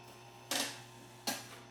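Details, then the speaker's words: Scantron 888P+ test-scoring machine, repaired for a form-feeding problem with new PU belts: two quick clean clacks as the solenoid fires to put red hash marks on incorrect answers while grading a form; normal operation. "So that's the sound it makes. I mentioned it fires that solenoid to put red marks, and so I've made some errors on this, and so it puts red hash marks to mark the forms that are incorrect."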